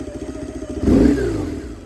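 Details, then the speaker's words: 1999 BMW R1100R, 1085cc air-cooled boxer twin, off center stand: lumpy idle snaps up cleanly on throttle blip, settles smoothly; bike rocks side to side from flywheel torque on revving; healthy. "So as I rev up the engine, it'll rock left and right, as you can see that."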